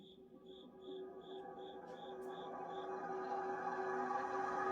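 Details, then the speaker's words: 1952 ILG Model 183 18-inch fan, 1/6 HP 115V 1140/855 RPM motor, run on high speed: spinning up with a high cricket-like chirp about four times a second from dry, unlubricated bearings. "I'm going to fire this up on high speed I have it wired for and we'll get to hear these lovely dry bearings and uh here it goes"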